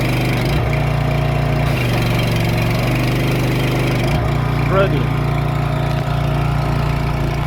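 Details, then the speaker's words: Pressure washer engine bogs to very low RPM, near stalling, when trigger pulled: pump pressure sat over 5,000 psi on a 3,000 psi machine after fixing leaking gaskets. "So I could actually, when I pulled the trigger, you could hear it did not sound good. It was bogging down, real low RPMs, and a little more pressure and it would have stalled it off."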